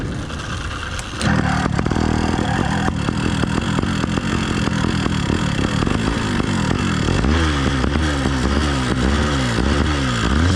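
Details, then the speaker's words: New Phantom 85 two-stroke motorized bike during break-in on 32:1 full synthetic, ceramic-lined cylinder: buzzy engine with loose uneven rattle growing with revs; owner first suspected rich mixture or timing. "for those of you with good ears you're correct that's a rough sounding rattle and this was driving me crazy for the first two days"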